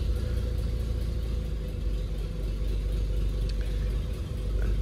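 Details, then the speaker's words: Daimler limousine, carbureted petrol engine, parked since 1990, on a snowy day: steady low idle rumble with a brief throttle blip; idles well, sounds healthy. "It seems to be idling pretty good right now, so I don't want to mess with that."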